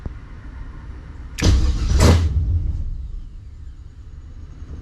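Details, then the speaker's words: 1970 Monte Carlo LS swap, ACES Jackpot LS EFI initial startup with a little throttle. Low rumbling crank with two quick rough bursts as it tries to catch, then dies back; nearly fires while the EFI learns. "okay we all we almost got it give it a little big toe hear that"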